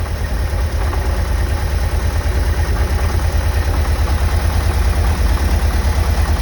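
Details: 1990 Vanagon engine on cold start: heavy, loud, regular low knocking about three per second at idle, said to lessen after about 10 minutes of running.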